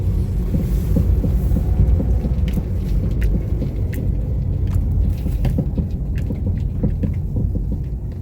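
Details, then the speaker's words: Honda Freed on the road: sharp, loud irregular tek-tek knocking from the front end over low road rumble while driving; suspension/rack steer suspected, being serviced, not confirmed. "nah kan ada bunyi tek tek ini kenceng banget soalnya bunyinya mudah-mudahan kedengeran ya sama teman-teman semua nih"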